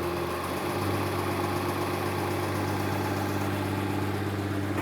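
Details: 2015 Mercedes-Benz S65 AMG with a fully rebuilt engine: a steady, even idle with a smooth low hum. The knocking that came on revving stopped once the starter motor bolt was loosened, so the starter motor was touching and the engine is fine.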